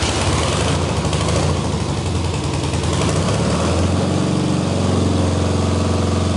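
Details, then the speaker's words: BMW R90/6 twin rebuilt as a 1000cc Siebenrock-kit, dual-plug, high-compression bobber with new bearings and seals, on first start of the fresh motor: steady, even low thump with no knocks or misses, sounds healthy; normal running. "It sounds healthy. It sounds It sounds great, in fact."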